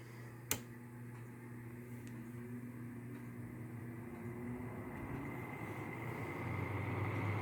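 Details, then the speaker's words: LG 5,000 BTU window air conditioner, fan only on low, compressor off: quiet steady low hum with soft airy rush, no rattle or scrape; noticeable but not bad; normal fan operation. "So, with just the fan running, I mean, you can hear it. It's noticeable. But it's really not that bad."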